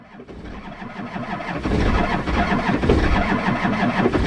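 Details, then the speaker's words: Cold Duramax diesel, just fitted with a transmission and nearly straight-piped, cranking long while a battery terminal is wiggled. Slow, labouring crank around three beats a second that builds but never catches; no start, cause not confirmed. "She should start. It's just gonna take a minute. She's gonna crank for a while."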